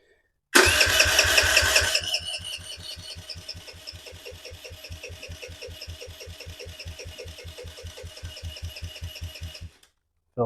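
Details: 2007 Kawasaki KFX50 four-stroke 50cc quad, after draining old fuel and refilling, starter whirs then about nine seconds of even cranking near three strokes a second, never firing; no-start from a sheared flywheel key.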